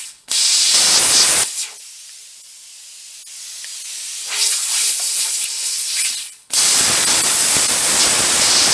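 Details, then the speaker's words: Plasma cutting a broken exhaust manifold stud: loud hissing arc bursts drop out for seconds, then return, not making it all the way through. Owner thinks the tip is worn, its orifice enlarged, slowing the cut; it needs changing. "The tip, I think, is gone on the plasma cutter. I've got to change it out. Once the orifice gets a little too large, the speed slows down. You can hear the torch wheels turning on and turning off, not kind of making it all the way through."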